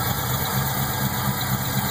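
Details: Pontiac GTO LS1 V8 at idle: thin high chirp over a regular low pulse, loudest directly on top of intake manifold at top end; source unconfirmed.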